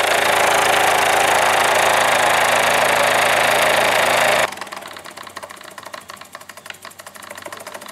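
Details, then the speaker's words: Model steam engine run on the workbench from a garage air compressor set at about 25 psi through a needle valve: loud air hiss, then even quick chuffing about four beats a second, running smoothly. "you're working on an engine you're trying to get it dialed in this makes a great way to test run it, to run it in, oil it in right on the workbench. No fire no flame no heat no electricity, just turning it off the compressor"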